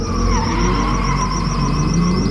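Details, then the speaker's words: Drift car at the track; steady high chirping squeal over drivetrain hum while moving, seeming to come from the drive shaft just in front of the diff, suspected pinion bearing, not wheel bearing: driveline chirp in motion. "But I discovered a new issue, so luckily I can troubleshoot it. So it sounds like it's coming from the drive shaft. Like way down under here."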